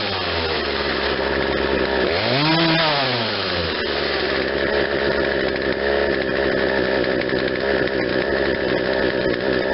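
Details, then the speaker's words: Poulan Wild Thing 40cc 2-stroke chainsaw with new aftermarket carburetor, after correcting the low-speed jet that was nearly closed: buzz snaps up cleanly and drops straight back to steady idle; quick, healthy throttle response. "I thought it was the other way around. Now we got a good quick throttle response."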